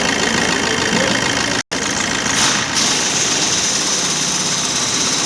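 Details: 2013 Maruti Dzire diesel with code P0201: uneven, stumbling idle with hissy clatter and a missing beat; cylinder 1 injector not firing, traced to a cut wire between ECM and injector with no continuity.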